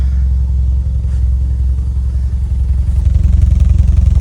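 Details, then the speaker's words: 1995 Toyota Celica GT4 import, first real run after 8–9 years stood, fuel leak at tank connector fixed, no airbox fitted, cam belt not yet done: deep, even engine note with steady low pulse, no knocks or misses; running smoothly. "Does sound nice. Considering how long it's been stood still, this is the first time I've really had it running, because the cam belt has never been done, but there's no airbox on it, mine."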